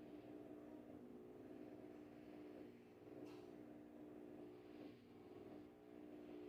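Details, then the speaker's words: Whirlpool Xpert System 18 kg washer after repair of loud spin noise: smooth, steady motor hum with slow swells every couple of seconds, no knocking, as the slow turn confirms spin position before lid locks; normal. "ese giro lento que hace es para comprobar que ya está en posición de Spin cierra el seguro de tapa y comienza a exprimir"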